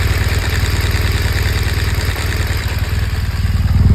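Boxer idles with a steady low pulse and a light, quick ticking on top that stays even; source of the tick unknown.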